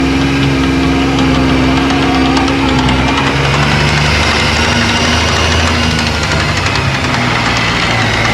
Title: Yamaha YXZ 1000r transmission knocking sound